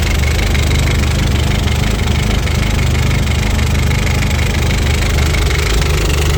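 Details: Audi A4 B7 1.8T 20V at idle after low-boost test drive cut short, smoke from oil catch can: loud rough idle with uneven stumbling beat and knock under it; misfire and knock, cause not yet found.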